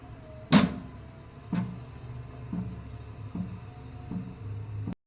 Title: Microtek Inverter sounds Abnormal sound @hisunilsingh